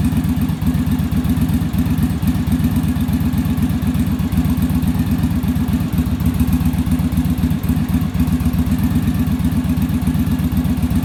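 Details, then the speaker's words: Yamaha Virago V-twin idling after final on-engine carb sync with manometer (following bench sync, rear carb idle stop set); even loping idle, steady low thumps about four per second, no stumbling; carbs balanced, idle much smoother. "so we should be in pretty good shape now our idle's a lot smoother and then our acceleration i'll be a lot better because the carburetors aren't fighting each other"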